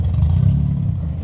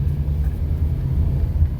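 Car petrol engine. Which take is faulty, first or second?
first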